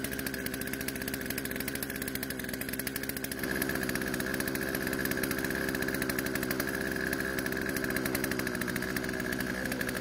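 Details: Poulan two-stroke chainsaw revived after over a year in storage, with carb adjusted, chain tensioned and lightly sharpened: steady buzzing idle then smooth, even pickup with no stumble; idle speed needed adjusting to stop chain creep, otherwise runs and cuts fine.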